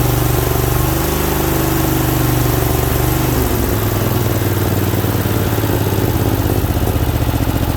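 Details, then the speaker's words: Briggs & Stratton Vanguard V-twin (for Cub Cadet GT 1554) first start after head gasket, head replacement and oil cooler install: deep thump, slightly rough at first, then steady strong beat; running healthy. "So she was a little rough at first, but she evened right out. Sounds good and strong too, I think."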